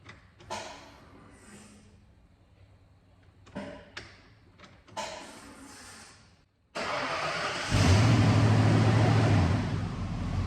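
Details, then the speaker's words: Neglected 1992 Ford F150, fuel tank hanging on straps with fuel pump wired in: a few cranks, then the engine catches and runs steady but slightly rough, likely air in the lines; fuel pump works and engine runs. "It runs. A little rough out of there was probably just because of air in the lines, but fuel pump works and it runs, so that's good."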